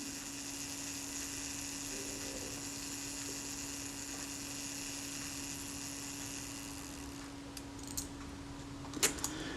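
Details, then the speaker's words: Kodak Retina IIIc self-timer, being serviced, first run after graphite powder lubrication: thin steady mechanical whirr runs down for several seconds, ending in a click; escapement sounds sluggish, not running particularly smoothly. "well it's certainly running i wouldn't say it was running particularly smoothly i haven't exercised this at all since i've run the graphite powder through it"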